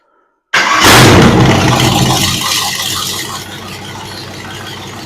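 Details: Ford 302 V8 budget rebuild after setting timing to about 12° and adjusting idle, vacuum 16 inHg: it catches hard, revs briefly, then drops to a steady, even idle with crisp throttle response. Snappy and healthy.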